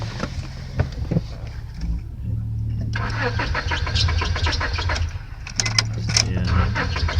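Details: 1999 Honda Accord 4-cylinder, new distributor, rotor, plugs and wires, started once then not again; fuel pump heard, fuel in line, no check engine light: starter churns steadily ~3 turns/s, never fires; crank no start.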